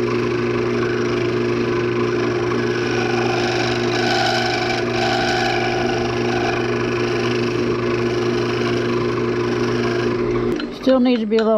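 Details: Wood lathe turning an old fatwood piece with barbed wire, cutting the thin stem section: steady motor drone with rough buzzing tool chatter.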